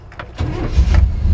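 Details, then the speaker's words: 1960 Ford F100 short-bed, carbureted, with a mild cam, cold start: a brief crank, then it catches and settles into a deep, slightly lumpy idle. It takes a little time to warm up; a normal, healthy cold start. "sweet ham yeah little cam in it she just takes a little time to get warmed up"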